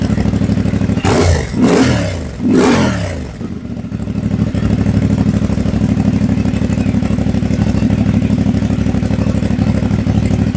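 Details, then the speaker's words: CF Moto 450MT, warm (not a cold start), just after a system software update from SW.1.00.23 to SW.1.00.98: three quick throttle blips rise and fall cleanly, then a settled, even idle with no knocks or rattles; normal revving. "So, yan yung idle sound. Let's try to rev it."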